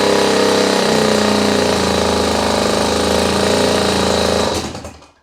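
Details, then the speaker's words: Small single-cylinder outboard run on land, choke off. It putters at a brisk, even beat of about four pulses a second, then shuts down. It is dripping from a leak, possibly at the intake, and the gear works. "I heard it running, so now I know that it's able to do just that in a pinch."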